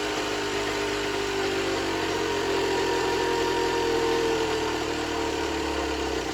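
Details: Generic Trigger SM 50cc two-stroke on a temporary fuel tub with a stiff old throttle cable: rough idle that climbs in pitch by itself, then sags. Idle surging; owner suspects an air leak, later found around the intake manifold, plus blocked jets.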